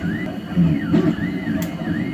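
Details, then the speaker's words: 3D printer retracting 5 mm at 40 mm/s: stepper whir over a low hum with sharp pops as air is sucked into the nozzle and it re-primes, from excessive retraction; filament kept dry, not moisture. "it's retracting five millimeter at 40 millimeters per second and you can hear how it's popping so it's still sucking air into the nozzle and popping just like that you hear the pop"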